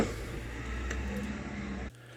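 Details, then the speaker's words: Car electric window still slow after silicon spray was applied down the rubber glass channels: a low, laboured motor drone for about two seconds, then it cuts off. "the first course of action is to get some silicon spray this is a wd-40 variety and spray it down the rubber channels where your glass slides up and down i did that and my electric window was still doing this"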